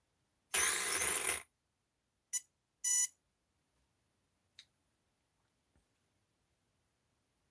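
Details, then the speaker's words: RC car motor after calibration, smoke had come from it: short chirping bursts with long irregular silences as the motor keeps trying to start and cutting out; repeating start-up stutter, cause unclear. "why does it keep doing that"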